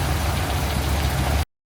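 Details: Classic Land Rover Defender 130 V8 petrol pickup starting after its fuel pump was replaced with a PRC7020 following poor starting: catches and runs with a steady, even low rumble, no knocks or misses; fuel pump fixed.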